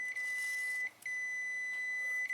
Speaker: There you have resistance. You have continuity. No open line. So you know the relay is good.